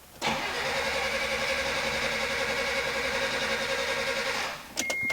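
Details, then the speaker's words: Mitsubishi Pajero Mini after a high-flow turbo install, cranked with both coils disconnected to build turbo oil pressure: the starter drags sluggishly for about four seconds without firing, slow cranking from a weak battery. "battery doesn't have much go."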